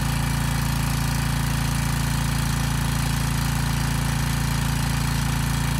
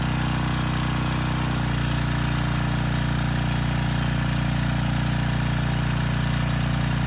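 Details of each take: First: Briggs & Stratton Storm Responder generator repowered with a replacement 10 HP Briggs engine, after a 3,000 W load test: even engine drone with a regular hard rattle about 2.5 per second from the loose starter assembly, not the engine. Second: Briggs & Stratton Storm Responder generator repowered with a 10 HP Briggs engine (204412), old oil, carb unserviced: even, steady drone with no knocks. It makes power at 113–114 V and about 61.8 Hz unloaded.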